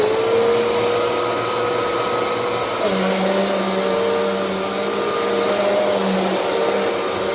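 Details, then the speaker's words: Eureka Altima vacuum after disassembly and cleaning: motor spins up to a steady, even whine with no rattling or straining, less strained than before cleaning; bearings will eventually need replacement; normal run. "Yeah, eventually she's going to need some bearing replacements, but it doesn't sound like it's trying to rip itself apart. And it sounds like it's not as strained as it was before we took it apart and cleaned it out."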